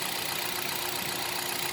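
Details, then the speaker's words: Hyundai Solaris 1.6 126 hp, automatic, 60,000 km, at idle after oil and filter change with 5W-40: fast, light, even knocking over a thin quiet idle; engine knock at idle, cause not pinned down. "мы наверное с вами сравним работу двигателя 60000 стучит и стучит как работает"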